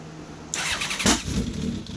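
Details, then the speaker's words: First fire-up of a freshly built 985 engine on choke, after a dry run with dummy plugs and oil pressure built up: it catches quickly into a sharp, crackling rev, then a rough but running idle. She's alive. "There it is. Oh. She's alive!"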